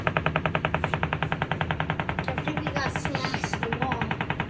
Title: Banging sound in wall #action #likes #views #view #likesforlike #share